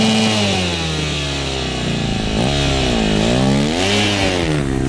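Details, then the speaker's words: 2009 KTM 250 XC-F single after rebuild and idle adjustment: crisp bark settling into a steady idle, blips rising and falling cleanly, no knocks or rattles; running normally. "There's the lovely bike, she's looking good. I'm gonna fire it up here. Might just take it for a rip up the road."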